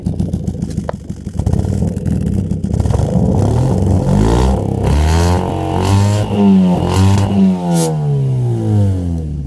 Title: Mk4 fiesta muffler delete misfire